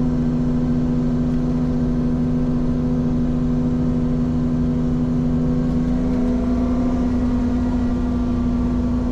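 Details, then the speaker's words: Ferrari 458 Spider: steady low moan over the engine that bends upward as revs climb, occurring only at certain rpms. Loudest low on the engine; camshafts doubted, exhaust suspected; unconfirmed. "so what's around there that would make that noise cam shafts but it's only happening at certain rpms so that wouldn't make any sense right it's just exhaust"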